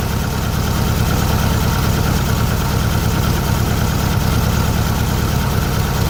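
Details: 1600cc VW Beetle flat-four fitted with a remanufactured 1986 Suzuki Samurai 1.4L distributor (Spectra Premium) after retiming: even low-pitched chug at steady idle, no misses or stumbles; idling cleanly with a bit more oomph.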